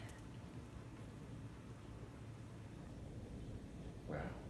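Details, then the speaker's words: Bosch 800 Series dishwasher (Super Silence Plus 42 dBA, stainless tub) on first wash, Auto cycle with CrystalDry, light load: soft low even hum with gentle spray hiss, no knocks; very quiet normal wash. "that's really quiet. Good grief. The other one's like, wow. It's really soothing quiet. I want to go to sleep"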